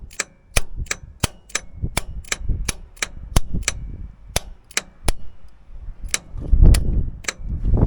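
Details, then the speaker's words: Caterpillar D6 dozer, first start attempt in 10 years, batteries hooked up, starter switch jumped; sharp uneven dry clicks, no cranking. Starter not working; owner then finds heavy corrosion on solenoid contact points and suspects that's the problem. "Sounds like our starter's not working right."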